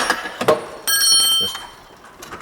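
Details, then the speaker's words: Hand-spun BMW E39 accessory belt tensioner pulley, removed during engine reassembly, gives a thin, high metallic ringing whir that fades quickly; bearing is totally dry inside, worth regreasing or replacing. "As you can hear the bearing is totally dry. It would be good to change that but if you want to get more life-time out of that."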